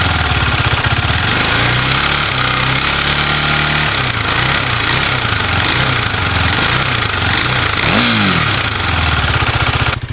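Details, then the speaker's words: KTM Duke 390 revved to around 4000–5000 rpm: harsh metallic clatter that rises with throttle; mechanic attributes it to the timing chain, which he plans to replace, and will also check the rocker arms. "तो दोस्तों ये मैं जो आपको जो यह आवाज आ रही है यह आ रही है इसकी टाइमिंग चैन की और टाइमिंग चैन चेंज करें।"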